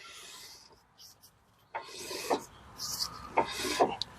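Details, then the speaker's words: Jeep Wrangler 4x4 that would not move in drive or reverse, rear jacked up and the rotor turned by hand: irregular rasping scrapes catch in bursts, and the owner suspects collapsed parking brake shoes jamming inside the rotor. "course won't do it now but yeah something in here fell apart and it's jamming and that's why it wouldn't go so most likely emergency brake shoes probably collapse in there"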